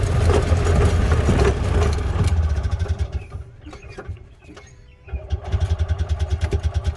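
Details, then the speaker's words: Columbia Parcar golf cart on a ride after refilling the fuel line with the tank drained. It pulls hard, then sags and falters almost silent before briefly catching again: engine stalling from fuel starvation, out of gas. "Out of gas already. Jeez. Fill her up again."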